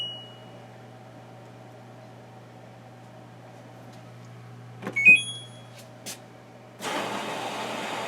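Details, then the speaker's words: LG WM0642HW front-load washer with DE door error, after replacing door lock part: faint hum, then sharp clicks as lock latches and soft whoosh; drum spinning, door lock engages normally. "hear that door locked it's running no clicks no noise you can see it spinning"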